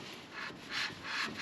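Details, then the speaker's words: Hyundai Tucson rear brakes, new shoes and discs, handbrake shoes adjusted by locking then backing off: soft even rubbing swish about every third of a second as the hub turns; slight drag, correctly adjusted, normal. "no if you can hear there's a slight bit of drag on it not too much that means our handbrake will be nice"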